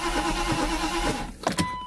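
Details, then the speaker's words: Mercedes with rebuilt fuel distributor, air mixture screw closed after much adjustment: starter churns the engine in a quick even rhythm, it never fires; fuel ratio far off, to be leaned out. "my fuel ratio is completely off right now I see it I feel it actually it's just crazy off but that's how it's going to be because I was messing around with it so much"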